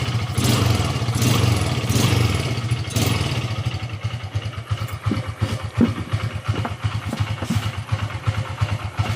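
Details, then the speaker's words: Modenas GT128 two-stroke after kick starter replacement, choke used, weak battery, possibly NSR carburetor: throttle blips then loose popping idle keeps running; slow to start but okay once running. "Lama tak naik, tapi bila dah hidup sekali dia okey lah."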